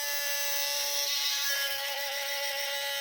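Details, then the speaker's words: Sony A7 III camera with a loud, continuous high-pitched electric buzz and steady whine, like a cricket trapped inside, at power-on; the battery drains quickly but it still takes pictures; the fault is in the in-body image stabilizer (IBIS). "Nah, kalau kayak gini biasanya ini dibis atau stabilizernya ya. Berisik banget suaranya. Kayak kemasukan orong-orong."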